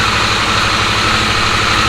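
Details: Harley-Davidson Sportster S twin at a steady, regular low-thump idle, no misfires or clatter, after a no-start clicking problem traced to key-fob battery drain; the battery was recharged and the error code cleared. Normal idle.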